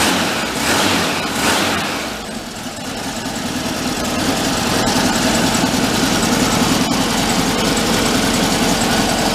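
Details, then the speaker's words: 1959 VW Type 2 truck, air-cooled engine, after sitting a year in a museum, just after the part was regapped and refitted: it picks up cleanly on the throttle with immediate response and settles to an even idle without stumble. Normal throttle response. "how about now so eyeball it one more time you hear it now the throttle response it's immediate"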